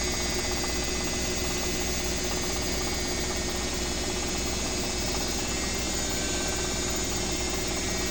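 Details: Own BWS24 washer set to 4-minute spin, speeding up once timer passes 3: steady even hum with thin high whine, no knocking or banging. Normal spin cycle.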